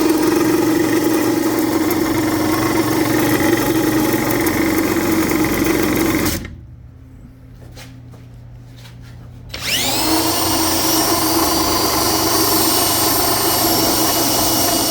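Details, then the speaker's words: Differential pinion spun by hand: a rough, drill-like whirring grind that strongly suggests worn pinion bearings, though this is suspected and not confirmed. "You will find out if that's your pinion bearings are your problems or not. And guess what? It sure as hell sounded like it."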